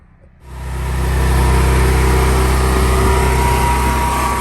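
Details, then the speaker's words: Propane generator starts and settles into a smooth, quiet, even low hum with no surging, misses or knocks. The earlier no-start was traced to the regulator being turned up too high, which shut off gas flow. Healthy steady run. "This is how quiet my generator is."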